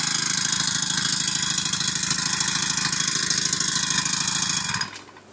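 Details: Old Honda GX35 four-stroke brush cutter, brought back repeatedly for not starting, with the idle screw turned in and fuel mixture adjusted. It buzzes fast and steady for about five seconds, then dies abruptly. Stalls when the throttle is released; cylinder or rings are suspected among possible causes.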